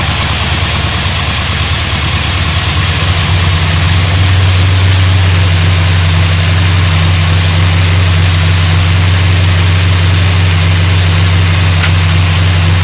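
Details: 1972 GMC Sierra Grande with a freshly installed replacement V8 (electric choke, primed oil and fuel, new gas tank), first run in 9 years: strong, even idle settling into a steady low rumble after start-up, no knocking or misfire; healthy normal idle.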